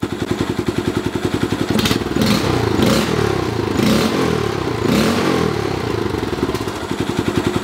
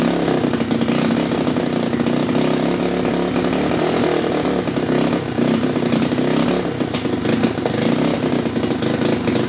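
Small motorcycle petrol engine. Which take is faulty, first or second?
second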